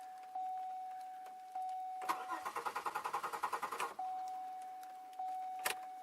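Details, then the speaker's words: 2002 Chevy Malibu with an intermittent start/no-start after sitting 4 months, retried after about 2 hours of rest: starter churns in quick even pulses about two seconds over a chime, brief kick, never catches; owner suspects coil or crank sensor. "Nope. It's gonna take a little longer, I think."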